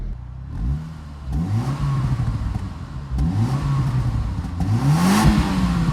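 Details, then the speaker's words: Car just fitted with a TD04 turbo, first start from cold and still blowing some smoke: engine picks up cleanly and settles through several blips, even rise and fall in pitch, no knocks or rattles; sounds good. "straight-on myself a window so you can air it a little bit more windows yeah it sounds pretty good"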